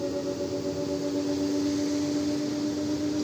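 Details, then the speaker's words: Samsung WD106 washer-dryer (heater removed) ramping up toward 100 RPM, where a noise begins. Here a smooth, steady motor hum with soft swishing and no knocks. Drum rotation still normal. "No momento tá tudo certo. Ela tá tá pegando uma velocidade boa aí, né? Que ela chega até em 100 RPM."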